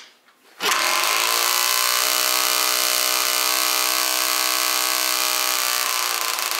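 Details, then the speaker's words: Yamaha Zuma bugeye scooter with Polini 70cc kit and new Yasuni R pipe, revving: loud, raspy high-pitched two-stroke buzz like running without an exhaust; no head or exhaust leak, the pipe itself is that loud. "this thing sounds like almost like what a two-stroke sounds like when you don't have an exhaust on it's so loud"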